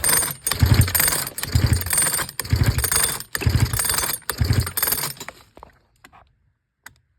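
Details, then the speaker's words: Sachs Dolmar 112 vintage chainsaw fitted with new electronic coil, pull-starting: five rapid pulls spin too freely with weak puffs and no firing; compression gauge reads only about 20, very low compression. "20 huh wow yeah that's really low yeah I was able to unscrew it without even anything happening"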